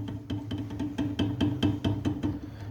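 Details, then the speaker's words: Renault Logan/Sandero (2014 onward) shock absorber worked by hand: quick hollow knocks about five per second from worn internal piston play at the bottom of the shock, causing a loud suspension knock in the car. "aqui no carro fica um barulho ensurdecedor Bate bastante amortecedor"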